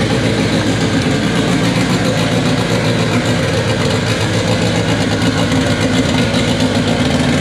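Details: K24 four-cylinder in an all-wheel-drive Integra, first start on a FuelTech FT600 ECU after two days of settings: busy, slightly unsteady idle beat, no knocks or grinding; normal idle, needs fuel tuning.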